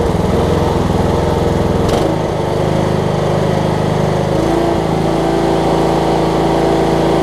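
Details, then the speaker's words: Cub Cadet riding mower, Kohler Courage single-cylinder engine, running well right off the bat after HIPA carb kit replaced a leaking carb: smooth even beat at steady speed, no misses or surging; normal running. "But again, that thing runs awesome with that Hipa carb. So it's hard to get these things running right a lot of times, and so for this one to be running good right off the bat."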